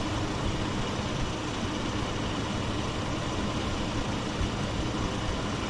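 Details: 2009 Chevy Colorado 3.7 idling after thermostat replacement while coolant purges air bubbles, warming to about 88 degrees: steady, even low idle with no knocks, ticks or misses; healthy, AC-off light cleared, temperature gauge working again.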